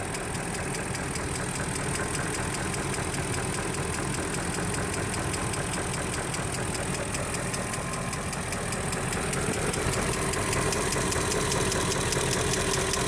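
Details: 2003 Range Rover HSE, 4.4L BMW M62TUB44 DOHC V8, at idle: fast light ticking two or three times a second over the engine, cause unclear; the sound later went away on its own.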